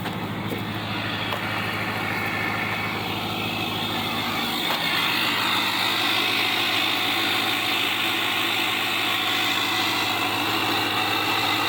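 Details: 2007 Chevy LBZ Duramax diesel pickup, 89,000 original miles, idling cold at about 5°F after sitting about two weeks on one good battery; even rhythmic diesel clatter with strong exhaust rumble heard through cracked window, no misses; normal cold idle.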